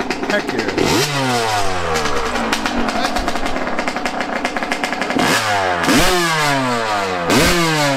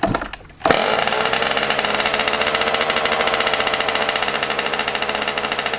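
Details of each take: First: Yamaha YZ125 two-stroke after carb air-screw adjustment, running way better, with more tweaking planned: sharp blips climb fast and fall back cleanly, crisp with no bogging or hesitation. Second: Yamaha YZ125 two-stroke, cold start around 20 degrees, before air screw and idle adjustment: a fast, slightly uneven crackling idle with a raspy edge, running off-tune.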